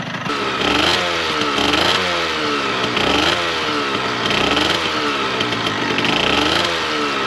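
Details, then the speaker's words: Yamaha RZ50 26-year-old 50cc two-stroke motorcycle, restored and restarted: light throttle blips, fairly quiet and pleasant healthy buzz; owner notes high-temperature sound, white smoke and burning two-stroke oil smell. "Reinicié el motor una vez. Es un sonido bastante silencioso y agradable, pero lo conozco."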